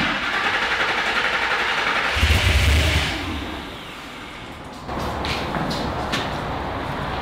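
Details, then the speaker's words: Griz the wrecker started and idling after reflashing to the Godzilla settings on the Holley and reconnecting the disconnected fuel pump; runs strong then settles to a steady, even idle, sounds good. "hey it's started and it sounds good I like the way it sounds that's for sure"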